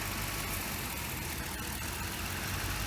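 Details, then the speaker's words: 2008 Mercury Mountaineer 4.6L V8 with issues since about 95,000 miles, random misfires, long-term fuel trim over 15: idle stumbles and lugs down with spray hiss when the intake manifold runner pivot point is sprayed; fixed by a new intake manifold. "you can even hear how how it lugs down just spraying that pivot point you can actually hear a little bit of a hissing"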